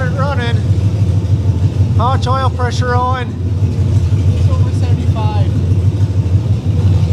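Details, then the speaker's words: Ford Ranger with freshly rebuilt engine, first start after priming, open headers, 75 psi oil pressure: steady, smooth, loud idle; owner thinks he maybe hears slight lifter noise but unsure; runs normally. "75 psi of oil pressure that sounds pretty good still sounds like a little lifter noise but i don't know if i'm just hearing things or if that's legit or not"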